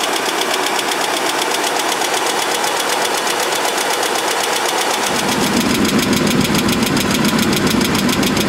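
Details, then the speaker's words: Chevrolet S10 pickup ("junk" project truck), cold idle: sharp, regular ticking about four per second over the idle, mild at first; owner first thought exhaust leak but now doubts it, suspects valvetrain/lifter tick, trying engine flush. Valve train tick. "but it didn't sound that bad at first first it was just a little bit of a of a a tick I thought it was an exhaust leak but I really don't think that's what it is"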